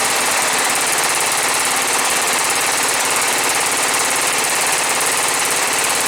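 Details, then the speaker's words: John Deere STX38, Kohler Command 13 hp engine, first start, choked, gas poured in carb: uneven rapid popping chatter that never settles, runs ragged and won't hold idle; owner suspects old gas, dirty carburetor jets. "it runs it runs not doesn't want to idle it's probably because they got some old gas"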